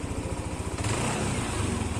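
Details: Yamaha NMAX scooter, 5877 on the clock, over 2 years old, engine suddenly got noisy, likely failed tensioner; after repair, reassembly and coolant refill: smooth regular idle pulses with a slight blip midway, no rattle or chain slap; quiet, normal idle again.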